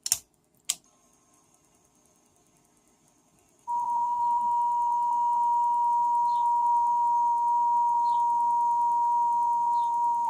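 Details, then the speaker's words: Marantz Superscope CD-330 cassette recorder after repositioning a misaligned mechanism part that caused grinding and wavering: 1 kHz test tone plays at steady level and pitch with only slight waver; playback speed now steady. "we've got a bit of wavering there, but mostly that's a straight line."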